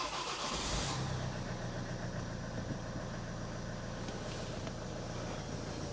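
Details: Ford S-Max 2.0 TDCi diesel, 2010, about 80,000 miles, first start after a fuel filter change and priming: a brief crank and catch, then a steady even tick-over that doesn't cut out, with no leaks. Normal start and idle.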